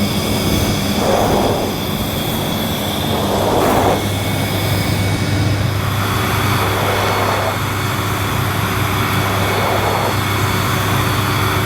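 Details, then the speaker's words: Panasonic MC-E862 cylinder vacuum cleaner, new, on carpet at maximum suction: steady motor roar with a recurring airy surge every few seconds as the suction relief valve cuts in. "I could hear the suction relief valve cutting in from somewhere inside this machine"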